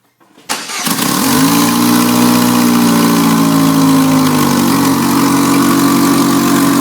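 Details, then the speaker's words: GM 2200 2.2L four-cylinder S10/Sonoma after new spark plugs and wires: cranks, catches and idles smooth and even but harsh and very loud; suspected header exhaust leak up front, not confirmed. It was barely running and popping before the tune-up. "So it runs nice and smooth and super loud, but we're just here to make it run nice and smooth, not make it run quiet. So it's got a header exhaust leak or something up here, really loud."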